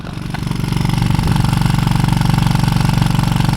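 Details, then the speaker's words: VW Golf R Mk7.5 with APR valved exhaust, recorded outside at idle: fast, steady metallic rattle about three per second from the exhaust valve flaps moving back and forth. Owner knows no fix. "you guys hear that that's the exhaust flaps in the exhaust is kind of going back and forth it's super annoying just hearing it idle you can just hear it idle"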